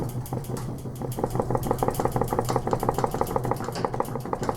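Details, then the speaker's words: 2001 KTM 250 two-stroke dirt bike on the stand during teardown, wheel spun by hand: light, fairly regular tick about three a second from the front; rear wheel bearing has play, worn wheel bearings suspected, front and rear to be replaced. "now listen you you'll hear a little ticking up at the front i don't know what that is but just listen to see if you can hear it"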